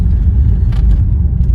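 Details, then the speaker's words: 1954 Ford Crestline V8 with Fordomatic automatic, driving after repair of leaks and abnormal gearbox noise, engine still leaking: steady low V8 rumble, no clunks, slips or whine; car drives very well, smooth gearbox. "Donc, petit feedback sur la Ford. Donc c'est une voiture qui roule très bien."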